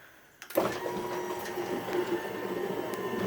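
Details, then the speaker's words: Genie 1035 (model 1035-V E2) chain-drive opener on a 4x3'6" Midland door in a basement, run from remote: quiet steady motor hum, light chain whir, abrupt stop without slowing; normal operation, quietest opener the owner has had. "it's kind of a harsh stop since it doesn't slow down but this is the quietest opener by far that i've had up here"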